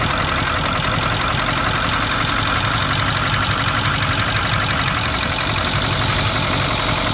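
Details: 2008 Ford Powerstroke 6.4L diesel idling with valve cover off, glow plugs disconnected, checking valve train for a tapping knock: fast steady clatter with light tapping over the rumble; little oil reaching rockers at first.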